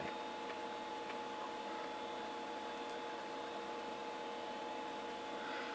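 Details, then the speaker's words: SyQuest SparQ external cartridge drive retrieving installer files during Windows setup: steady quiet mid-pitched hum with soft hiss, no knocking or scraping; normal drive spin. "oh I see what this does it's going to the external drive which is humming away as first breaths of life to retrieve the actual installer files I bet"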